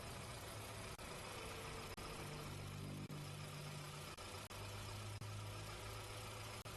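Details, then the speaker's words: 2009 VW Gol G5 1.0 76 hp after coolant hose replacement and pressure test, run to warm up for leak check: quiet, steady low idle with even firing, no knocking or rattles; later an oil leak suspected at camshaft seal. "Pronto, agora vamos ligar os cabos de velas, esvaziar o sistema, retirando a pressão, e funcionar o motor, para ver se não vaza quando o motor está quente."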